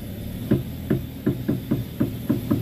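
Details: Front wheel of an Avanza/Xenia-type car, heard while steering left and right: dull "tek tek" clunks about three a second, one with each steering movement.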